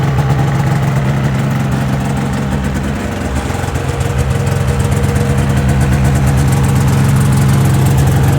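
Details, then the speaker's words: 2005 Ski-Doo MX-Z Renegade 600 H.O. SDI after a cold overnight soak, with fuel pump, pressure regulator and strainer replaced to fix hard starting: steady two-stroke buzz at a fast, even warm-up idle, slight dip and recovery, no misses; normal high idle before open loop. "so curious to see how long here it takes for it idles down once it gets up into open loop"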